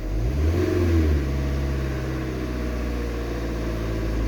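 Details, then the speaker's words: Van diesel, coolant 36°, stationary, watched on a scanner: revs climb quickly on a throttle blip then sag back lazily over several seconds instead of dropping to idle; throttle sensor reads fine, owner suspects a fuel-related fault. "can you hear that taking its time to come down right so you you can hear that now can't you so you put your foot on the throttle take your foot off goes back to zero"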